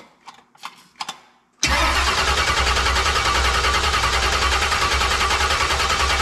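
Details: Freshly built 383 stroker small-block V8, first fire-up after swap into a 1970 Monte Carlo with remote starter: a few clicks, then it catches instantly and settles into a loud, even, choppy idle with no knocks; healthy start.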